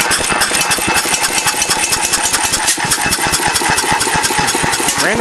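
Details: First run of a restored 8 hp vertical Bessemer engine on propane with buzz coil ignition and hose-trickle cooling. Quick even firing beats with occasional sharp irregular pops, suggesting an intermittent backfire. Owner suspects a crankcase gasket air leak combined with late timing.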